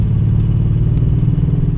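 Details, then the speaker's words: 2006 Nissan 350z V6 with original coil packs, recorded while driving: deep lumpy drone with an uneven stumbling pulse and no power, misfire; owner unsure whether spark plug or coil pack. "Man, this thing sounds so weird. Listen."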